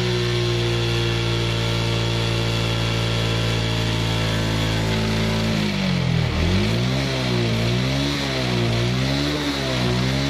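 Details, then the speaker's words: Suzuki Smash motorcycle with a genuine regulator/rectifier already fitted, battery reading about 10.9 V: steady idle, then each throttle opening wavers and sags before picking up; hesitation blamed on a battery that no longer holds charge. "Nah masih berempat di awal jadi di awal gas berarti memang ada masalah dengan aki ya akinya yang sudah tidak bagus ya"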